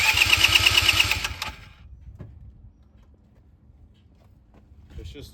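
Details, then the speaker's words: Neglected 2010 Polaris Ranger RZR 170, sat for years, new fuel pump fitted; after long cranking to prime fuel, the small engine runs with a quick even beat for about a second and a half then shuts off; starts normally. "I ended up fixing it I just kept cranking it and cranking it and I guess since it's a new fuel pump it had to flow all the gas through wherever it needs to go that's why it took a little while"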